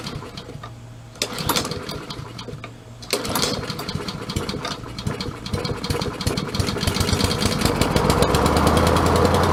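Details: Craftsman self-propelled mower after greasing drive gears, freeing auto-choke and replacing control cable, started on choke: couple of pulls, then runs with speed swelling and hunting instead of holding steady; surging, carb cleaning planned.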